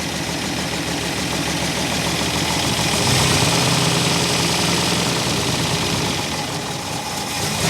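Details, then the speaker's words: 1964 Buick Electra V8, sat 25+ years and freshly unseized, just took fuel after the carburetor was knocked on for a suspected stuck float. Rough, loping idle with a cylinder dropping out about three times a second: a definite miss. Idle circuit suspected partly plugged. "Looks like it took fuel. It's definitely got a miss."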